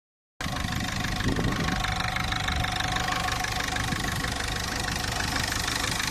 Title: weird engine sound